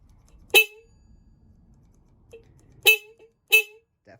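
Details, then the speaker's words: 1995 Honda Shadow VLX 600 (VT600CD), tank and side covers off during electrical testing for a no-start: three short, loud, clean horn toots with nothing weak or wavering; horn working normally. "a horn no worries there so all of our circuits are good"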